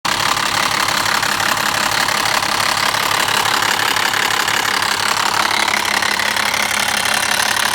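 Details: BMW E60 with M57 diesel: a rapid metallic rattle runs steadily through the idle clatter, the noise of the timing chain.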